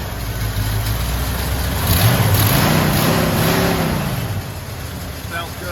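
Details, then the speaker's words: 1977 Ford F150 4x4 pickup with automatic transmission and 3.5 limited-slip rear axle, started up to hear it run: a strong, even V8 rumble climbs smoothly through a rev and settles back with no misses or knocks, sounding healthy. "So we'll show you some more stuff. We'll probably start it up here one more time so you can hear it run."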